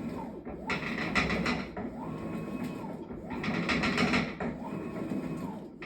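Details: Maytag washer bought October 2023 that began loud clanking in December: low rumbling drum cycles with a clunk and rattle at each swing, about every 1.5 seconds; cause unknown and unresolved despite multiple repair attempts.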